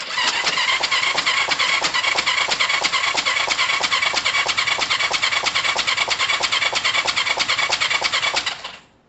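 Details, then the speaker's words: Kawasaki ER5 motorcycle first restart, running only on fuel left in carbs: fast, harsh, uneven popping about three per second before dying; sounds like exhaust open with inlet, owner suspects valve timing far out, cause unconfirmed. "it don't sound great it almost sounds like the exhaust is open at the same time as the inlet"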